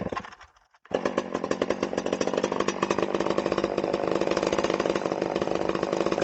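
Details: Stihl 011AV chainsaw, donated non-runner, first start with fresh gas, likely running rich at set high idle: small two-stroke buzzing with rattly clattering edge; exhaust muffler completely loose, clanking.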